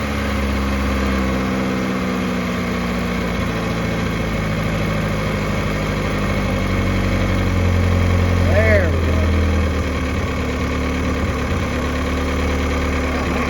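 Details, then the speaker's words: 1986 Pontiac Fiero after a tune-up with a new fuel filter and work on the idle controller pintle: the warm engine settles to a smooth, even idle of about 800 rpm with no misses and good oil pressure. Normal idle. "Much better. Much better. Yep, idling right about 800, right about where it should."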